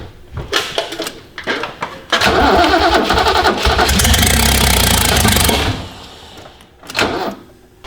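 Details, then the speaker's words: Project car, started after several cranks and coughs: catches, runs ragged with an uneven stumbling beat, then dies; rough running, cause not confirmed. "So my car runs, but horribly."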